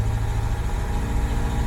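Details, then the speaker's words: Engine on ACES EFI Killshot restarting after 3–4 days in cold weather, with fuel power-on percent raised to 150% and fuel prime to 225%; starts quicker and holds a steady, even idle without dying; cold start issue fixed. "Alright, apparently it's not going to die, so this is a good thing."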